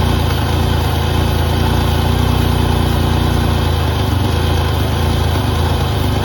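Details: 1988 Pontiac Firebird with a GM 2.8L V6 and 230,000 miles, first start after sitting about 13 years: a steady, even idle with no knocking, ticking or stumbling, so it runs normally.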